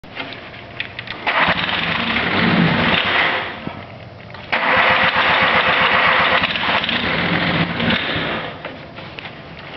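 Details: Cub Cadet 1572 with Kubota diesel: long stretches of steady rhythmic cranking with brief pauses between tries, never catching; hard starting.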